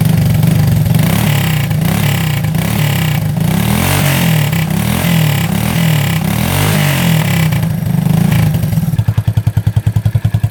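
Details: 1985 Honda ATC200S three-wheeler, not run in over a year, restarted with no smoke: strong single-cylinder revs that rise and fall cleanly, then settle into an even, steady thumping idle with no misses. Normal revving.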